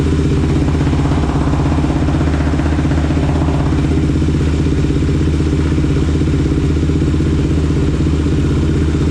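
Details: Rebuilt Kawasaki KFX 450R single-cylinder running at a steady, even thump with no knocks or rattles; pipe got hot quickly, slight antifreeze leak but no oil leaks seen. Healthy after rebuild.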